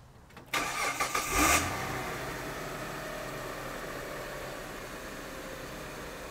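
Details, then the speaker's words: Car started on four Headway 38120 HP 3.2 V 8 Ah LiFePO4 cells as a 12 V starting battery: about a second of brisk cranking, then catches into a smooth even idle; normal start. "so at this point that's the cold start proving that it will start the car cold"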